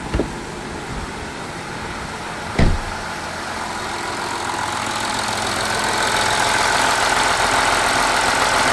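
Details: VW Amarok V6 TDI first start-up after coolant leak repair and new cam covers: smooth, steady diesel idle under a rising fan rush with no knocks, ticks or misfires; no stored faults and engine light off; idling normally.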